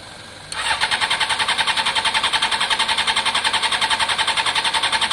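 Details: Honda CBR600 F4i non-runner, accident-damaged and unused for years, after injector cleaning with cleaner and fresh fuel: starter spins at an even three or four beats a second, never catches, no pump prime whirr before cranking. Owner suspects fuel delivery, pump possibly in tank.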